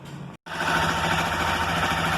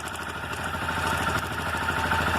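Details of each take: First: Motorcycle, cold engine, after replacing the faulty cam chain tensioner actuator and its gasket, which had caused cam chain noise: smooth, even idle with a steady light pulse and no ticking or rattling from the top end; normal idle. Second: Motorcycle idles with a fast, even metallic clatter from a loose cam chain that starts after running a while; it stops when the tensioner is pushed in by screwdriver, tracing it to a faulty cam chain tensioner actuator.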